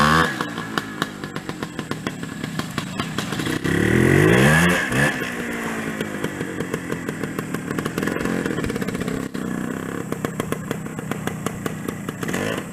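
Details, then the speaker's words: Suzuki TS250 two-stroke, barn find with new piston rings, rebuilt carburetor, new oil and oil injection lines, no battery; crisp even idle, clean rev blip around four seconds, back to steady idle; normal. "I do have the title for this one, and this runs out really nice. Drives actually really well."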